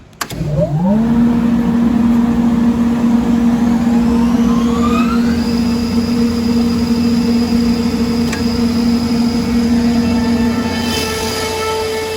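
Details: 2002 Comp Air L55 75 HP air compressor, 346 CFM at 100 PSI, wired for 460 V, 26,886 running hours, delayed start: motor spins up over about a second into a steady, even hum with a higher whine settling in. Normal, healthy run.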